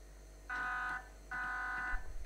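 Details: WPL D12 RC truck. Two short bursts of a harsh, steady electric buzz from the small brushed motor, caused by speed-controller switching. The fix is adding two back-to-back 1000uF capacitors (35V used) and a small inductor of at least 10uH.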